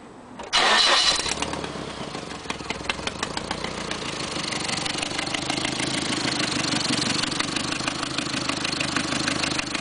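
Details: 1990 Nissan 240SX coupe, KA24E engine: it starts and settles to idle with a sharp, quick ticking, about three a second, that sounds like lifter knock but is an exhaust manifold leak at the manifold bolts or gasket.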